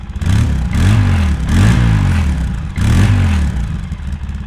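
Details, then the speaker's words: 2003 Polaris Sportsman 700 Twin ATV on stock exhaust, still warm so no choke, before Big Gun exhaust and Dynojet jet kit: deep even twin-cylinder burble with a couple of light blips, no knocks or rattles; sounds healthy. "sounds pretty good but we can do better"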